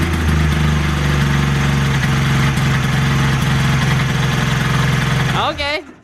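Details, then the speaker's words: 1995 Polaris XLT 600 Special triple two-stroke snowmobile, first run in about 20 years after a fuel pump and filter, pull-started: uneven, choppy revving about four beats a second, then stumbles and dies. Owner suspects bad gas. "I think it's bad gas for sure what it doesn't sound right does it"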